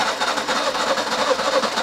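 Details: Nissan Micra (K11/M11) that cranks but won't start. Rhythmic churning about four beats a second with no catch. Spark is present; owner suspects flooding or fouled plugs and plans to clean them, cause unconfirmed.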